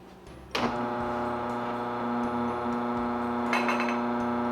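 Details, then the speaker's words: Mockmill 100 grain mill running empty at its coarsest grind setting, level 10, before being turned down to 1 for fine flour; a steady, even hum at constant pitch with no knocks or rubbing, normal running. "So I can still talk over it when it's like this. Right now it is on a really coarse grind."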